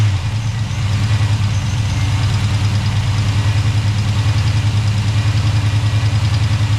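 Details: Chevy Tahoe with freshly installed ATK 5.7 LS V8 on break-in tune, first start, oil pressure about 40 at idle, fans on manually: steady deep V8 idle, even smooth pulse, no knocks or ticks; normal idle.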